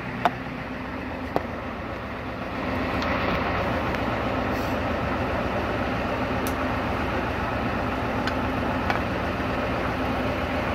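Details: Freshly rebuilt Ford 7.3 (or 6.9) IDI diesel on an engine stand, fed from a battery at about 13.25 V and started by jumping the solenoid. The starter cranks briefly, then the engine catches into a steady, even diesel clatter.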